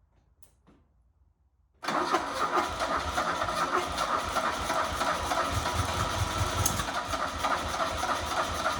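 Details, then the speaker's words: 1977 Fiat 124 Spider barn find, sat nearly 25 years, spark confirmed, gas squirted in with no fuel in the lines: it catches and runs unevenly at a lumpy, stumbling idle, barely running and obviously not right; the owner thinks it ran out of gas. "Holy crap. Holy crap, it's running. Barely."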